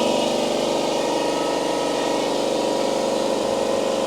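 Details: AEG Stealth Drive compressor, filling from 0 psi, mic about 150 mm from heads, 90–91 dB: steady, even hum with a fast, smooth pumping beat, no knocks or squeals; quiet enough to talk over, pressure rising quickly, healthy.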